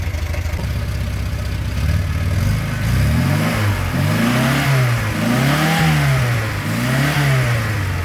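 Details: Škoda 1000 MB/1100 MB De Luxe, first start after 15 years: steady idle, then revs rise and fall smoothly several times with no knocking or misfire; sounds healthy.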